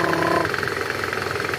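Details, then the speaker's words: 2010 Toyota Camry, 2AZ engine, AC on, in gear with throttle applied: fast, even, loud rattling clatter over idle that stops in neutral; worn balancer shaft gears rattling. "Lihat, saat kamu menginjak pedal gas, akan terdengar suara berderak."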